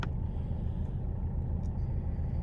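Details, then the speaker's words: Mercedes W204 diesel with over 200,000 miles, in limp mode; the DPF pressure sensor is suspected as the differential reading does not change: even low diesel rumble with a steady beat and no knocks or misses, a healthy warm idle. "lues, you can see that the engine is idling quite nicely."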